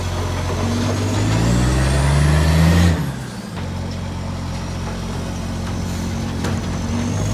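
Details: Shire of Serpentine-Jarrahdale garbage truck SL001401 out collecting, 16 Dec 2024: heavy diesel revving up and dropping off with air-brake hiss and a rough puffing chuff on the exhaust note; exhaust leak.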